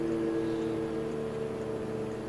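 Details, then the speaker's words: Fan turned down from high by BN-LINK plug-in variable fan speed controller (4.8 A, 600 W, for brushed motors); running much slower and quieter, weaker airflow; soft steady hum with clean tones, no rattle or wobble, turning slowly and evenly. "but there it's running much slower and quieter of course we'll send it down a little further and now the air flow is a lot weaker"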